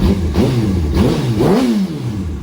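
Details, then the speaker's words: Rebuilt Yamaha R1 with the Power Commander removed: three quick throttle blips, with the pitch shooting up and dropping straight back to a steady idle. Crisp, snappy throttle response with no misses. "it's actually pretty Snappy I'm not going to lie that was uh really Snappy"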